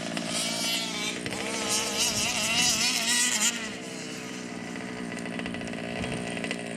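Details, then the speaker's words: 1/5-scale RC two-stroke (Losi 5T with Taylor 71cc Supreme, or Outlaw Twin 70cc): a high buzzy howl surges and stumbles unevenly while choking. The carburettor low and high speed needles need tuning. "Yeah, something is choking. You can hear it, it's choking, it's not running healthy. Yeah, so Dave need to tune up the carburetor and he'll be top fine here."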